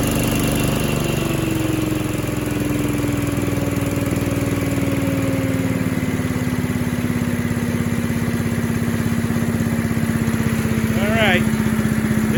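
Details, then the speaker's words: Little Wonder 13HP High Output Blower running on choke at half throttle after clearing an awful dinging noise (suspected jam between impeller and housing) and replacing a fouled plug; smooth, steady drone with no knocks or rattles; fixed, normal running. "try it one more time well it's not making the noise all right it's not making the noise so it's fixed"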